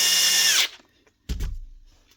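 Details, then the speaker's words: Milwaukee grinder, otherwise working perfectly apart from a minor problem; this model is known for motor bearing failures. A high, steady motor whine that winds down smoothly when switched off, then handling thumps. Normal running. "Grinder works perfectly otherwise."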